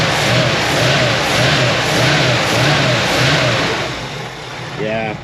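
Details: 1966 Ford F100 V8 after new Remflex header gaskets to fix exhaust leaks: deep note blipped repeatedly, revs rising and falling about every half second, clean with no ticking or puffing; much better, healthy.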